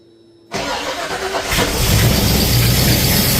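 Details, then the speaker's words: Ford Falcon XB hardtop during restoration, no coolant in engine, earlier noise: catches quickly and settles to steady idle with no knock; noise gone. "The noise is gone. [Music] She's got no water in it, so that's about as long as I want to run it. But yeah, that's that noise is gone now."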